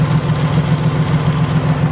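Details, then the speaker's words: Toyota Tacoma idling with an intermittent ticking, knocking, pulsing rumble and a shaky belt. The noise is traced to a worn idler pulley bearing, which is then replaced. "i appears the noise is coming from this guy which is the idler pulley hear that sometimes that's the sound that it would make"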